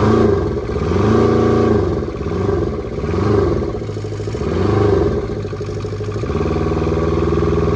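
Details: Kubota T1600 diesel mower, 530 hours, first start in years: small twin diesel clatters evenly, rising and falling cleanly through several quick revs, no stumble or knock; healthy, later warmed up without overheating.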